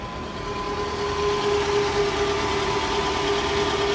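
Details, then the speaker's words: Toyota engine (2JZ, as transcribed) at 80,099 km idling with a steady humming drone. Worn balancer shaft; the sound is harsher at cold morning start, louder outside than in the cabin, and stronger in R or D; balancer replacement is typical from 80,000 km. "terdengar bunyi dengung ya"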